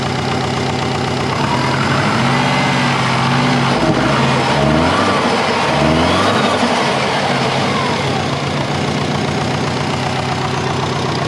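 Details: Compound twin-turbo Subaru Forester warming up: even but noticeably fast idle with no hunting; owner suspects a vacuum leak, not confirmed.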